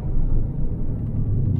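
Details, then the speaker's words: Steady low road rumble while braking from about 50 km/h while new front and rear brakes are being bedded in; no squeal, grinding or shaking, brakes working quietly and normally. "Der zieht nicht nach rechts, der wackelt nicht, der macht keine Geräusche."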